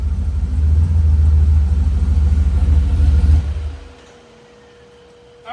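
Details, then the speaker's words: Turbocharged Dodge Dakota R/T on a dyno pull, about 66x whp, after new plugs, wires, cap and rotor; compression, leak-down and boost-leak checks fine. Heavy low roar with uneven stumbling beat under boost; owner says still missing, same power: misfire under load. "It sounds like it's missing. To me, it sucker sounds like it's still missing."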